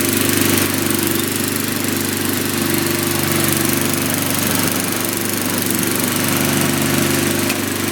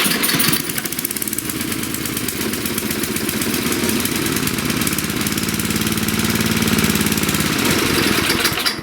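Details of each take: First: 1997 Murray Ultra 22" Two-Stage 5HP Snowblower Second: 1997 Murray Ultra 22-inch two-stage 5 HP snowblower, cold start: single-cylinder popping at a quick, slightly uneven beat, running lean because the choke came off too soon, otherwise runs well.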